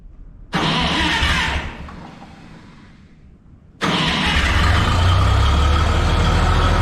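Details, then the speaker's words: Minneapolis-Moline G950 propane tractor on a very cold day with the Stanley muffler fitted instead of new-old-stock; catches, briefly dies, then settles into an even, fairly loud steady idle; slightly louder muffler, healthy engine, valves sound good. "a so it's definitely louder it's not a lot louder doesn't sound terrible"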